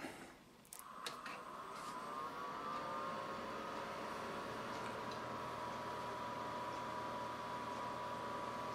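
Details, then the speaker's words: PowerMac G4 MDD at power-up after upgrading, 40 GB hard disk swapped for an 80 GB: soft whir rising in pitch over a couple of seconds, then a steady even hum as the disks reach speed; normal. "can hear it spinning up the hard disks."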